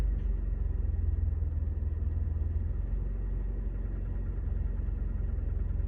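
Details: 2011 Scion tC with 65,000 miles: petrol engine running with a deep rumble and a steady, rapid knocking beneath it; cause unknown.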